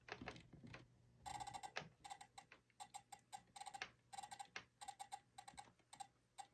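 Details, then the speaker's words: Digitrax BXP88 detection layout with the rail wires deliberately crossed (reversed polarity across a block gap), loco run slowly across it: rapid sharp relay clicks chatter in uneven bursts over a faint hum. "I'm going slow on the first time because, so if you were to be putting pieces together and you see that kind of response, you can hear my relays clicking."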